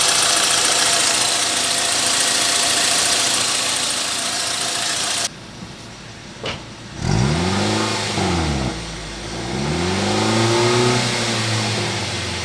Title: Engine noise Swift petrol